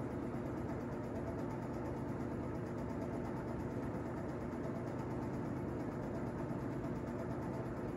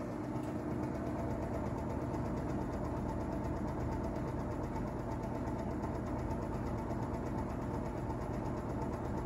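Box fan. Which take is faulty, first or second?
second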